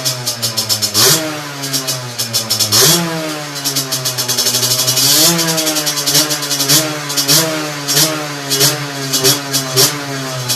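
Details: Two-stroke with 17.5 mm carburettor on a test bench, main jet, mixture screw and needle correctly set: crisp buzz picking up cleanly on each blip, dropping straight back to steady idle, no stumble; carburetion sound.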